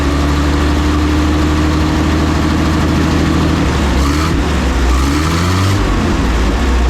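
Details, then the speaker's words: WWII German Hetzer tank destroyer engine with two single-barrel carburettors unlinked for separate adjustment: a steady, deep, fast idle with a slight drift in pitch partway through. Idle speed is too high, so the carbs need balancing and the idle turned down. "because this is one of the 2 carburetors that we need to play around with the idle settings to get it to idle a bit lower."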